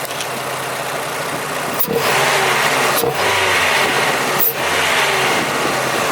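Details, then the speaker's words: Old Ford engine after new injectors and throttle body, jump-started on flat battery: loud intake hiss through the filter, three short dips about a second apart; runs better, wants more air, but intermittent stumble at idle remains. "with the new injectors and the throttle body that the car is running better it seems to want more air is you can hear it through the filter it's definitely demanding more air well it's taking more air um there is a little stumble"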